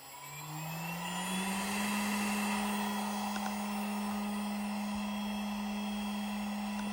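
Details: Newly assembled Alt-Mill CNC machine, spindle switched on. Its whine rises smoothly over about two seconds, then settles into a steady, clean tone with no rattles; the spindle runs healthy.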